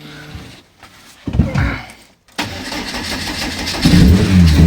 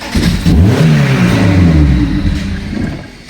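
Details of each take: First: 2001 Lotus Elise (year as told), first start after loading modified file to fix no-start; brief crank, catches at once, steady idle and clean throttle blips, healthy start. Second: 2001 Lotus Elise (year as told) with fuel pump humming, started only with two wires bridged as it arrived; engine catches and revs briefly then dies within about three seconds, anti-theft immobilizer cutting it out.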